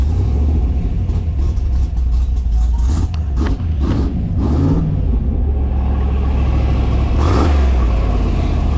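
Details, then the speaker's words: Factory Five Type 65 Coupe, 302 cubic inch Ford small-block V8 just swapped to AFR 185 heads, on a cold damp drive without full throttle: deep rumble rising and falling cleanly with no knocks, ticks or grinding; normal running. "so far so good no strange noises uh you know said we're going to drive this for a couple minutes"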